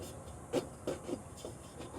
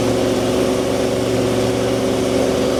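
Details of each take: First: 1981 Ford truck after an engine fire, idling: light scuffing ticks about three times a second as fan blades hit the fire-melted fan shroud; cooling fan contacting shroud. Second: 1981 Ford truck V8 that was parked after an engine fire, revived with a new HEI distributor, oil pressure up: steady, even low rumble at idle with no knocks, misses or stumbles; a good-running truck.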